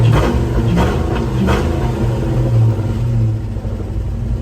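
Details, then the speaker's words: Ford Mustang SN95 after new fuel filters and priming the fuel pump three to four times, fixing poor throttle response and sluggish acceleration; deep rumble revs cleanly with no stumble or hesitation; normal, responsive revving. "guys we fix the problem no more struggle no more sluggishness"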